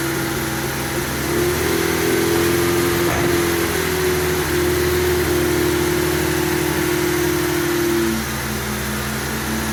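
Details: MGB GT after about 12 months untouched in storage, running on choke: steady, even engine drone at constant pitch with no misses or knocks; normal running.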